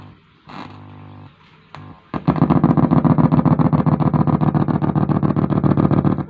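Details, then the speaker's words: Faulty echo/reverb unit in an audio amplifier, powered on at low volume: sharp bursts repeating about four times a second that never die away, runaway echo; fault usually in the three-part delay block while the master is fine. "Nah, jadinya rusaknya seperti itu, lur ya. Jadi kalau kita buka seperti ini, nah, dia rusak seperti ini."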